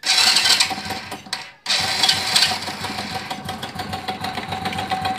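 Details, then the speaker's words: Honda Biz 100 motorcycle idling, louder when revved; fast, loose metallic clatter over the engine, owner says something loose in the engine. "hoje pessoal estamos aqui com essa Biz 100 à costa apresentando um barulho no motor certo pessoal"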